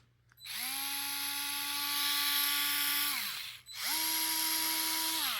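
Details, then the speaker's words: DeWalt electric screwdriver, fairly charged: two free runs of high motor whine, reverse noticeably higher pitch. Runs slower in forward than in reverse. "you can hear in Reverse it's got more ripps RPMs than forward"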